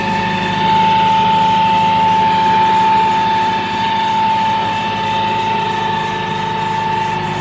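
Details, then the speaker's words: Hitachi excavator 4HK1 diesel after injector rebuild (dirty tank damaged injectors; had hard starting, low power, misfire): steady, even idle with a constant low drone, no smoke, stumbles or knocks; normal idle. "Ang ganda ng andar walang usok bumalik sa dati rebuild natin injector niyan low power hard starting"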